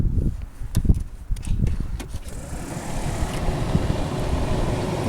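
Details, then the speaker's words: 1996 Ford Ranger blower motor, key on after fixing wiring, power found on the pink/white wire, corroded connector still to repair: a few clicks then steady low whir that holds even; blower motor running normally. "turn the key on so you can hear the motor start okay the key is on"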